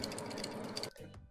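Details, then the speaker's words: Amana ARB2517CSR refrigerator, not cooling: shaking the removed compressor start device gives a quick loose clicking rattle under a second; relay inside the start device is broken, part bad. "so you can hear that the starting components the relay inside the starting component are actually broken so this is actually bad we don't even have to test"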